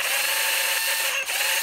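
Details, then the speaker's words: Used Makita 12 V cordless drill: thin, high, steady squeal over the motor whir from dried-out grease in the gear head, which needs cleaning and regreasing. "cái tiếng máy rất là Ê rít rít rít chỗ cái phần đào này đó"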